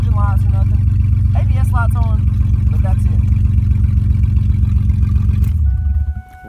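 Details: 2001 Ford Mustang V6 with straight-pipe exhaust, no check engine light; very loud deep raspy drone with a slightly uneven pulse; needs about three spark plugs (one replaced the day before), so a misfire is possible.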